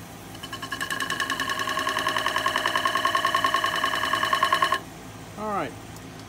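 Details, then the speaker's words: Turning a 10 1/4-inch apple wood bowl on a lathe: quick, even ticking, about three or four a second, with each rotation as the gouge crosses a bug hole in the wood; tool clicking over a void in the workpiece. "hear the clicking it's as it was going over that uh over that crack oh no it was going over that bug hole right there"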